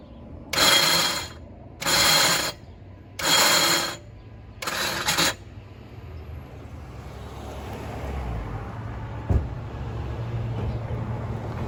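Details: 2007 Jeep Compass 2.4L, cranking before starter replacement: four harsh grinding bursts, each under a second, as key is cycled; starter not engaging cleanly and failing, replaced with Duralast 19442.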